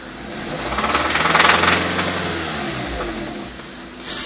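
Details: Stock 2005 Acura RSX Type S, 88,000 miles, no check engine light: rapid rattly knock from the engine bay that is small at idle and loudest at peak revs; fresh oil and filter didn't help.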